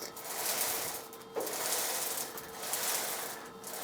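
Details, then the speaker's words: Apex 2037 DSSDC 4-head machine during a scratch test, belt height knob lowered while spinning the belt: a rasping hiss swelling and fading about once a second over a faint steady tone; light, even belt contact, set about right. "I'll start to hear some contact. Now you want a little resistance, but not too much to where you can't move the actual belt"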